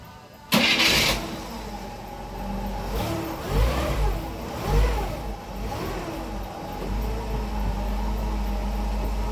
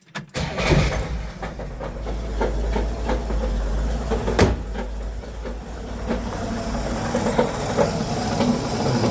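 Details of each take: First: 1963 Pontiac after the knock fix, with the bolts retightened: cranks, catches, a couple of throttle blips, then settles to an even idle with no knock under the exhaust note; normal idle. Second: 1963 Pontiac started and idling in park before repair. An uneven, heavy knocking sits under the rumble and sounds like a broken crank; the cause is a cracked flex plate, to be replaced with a new one using Loctite on the bolts.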